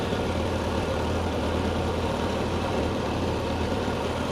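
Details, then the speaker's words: Toyota 4K-series engine after tune-up (plugs and leads fitted, dwell 52°): steady even low rumble at 800 rpm idle, within spec, no misses or knocks; normal idle. "Sudah sesuai dengan spek. Nah, ini sudah sesuai spek ya guys, 800 RPM."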